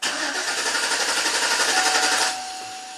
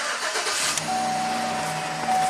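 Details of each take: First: 2011 Chevy Silverado 5.3 V8, intermittent stall and crank no start, code P025A fuel pump control module enable circuit; starter churns evenly about four turns a second for two seconds, never catches: pump module not waking, no fuel. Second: 2011 Chevrolet Silverado 5.3 V8 with intermittent stall and no-start (P025A fuel pump control module enable circuit), after wiring repair and codes cleared: quick catch then steady even idle with faint electronic whine; starts and runs normally.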